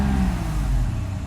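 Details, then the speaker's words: Mercedes 600SL at about 33°F, near freezing, after E-gas module and throttle body repair, air pump just shut off: deep smooth idle then easy light acceleration with no stumble; normal. "easy acceleration everything's fine so that was just a slight press on the gas"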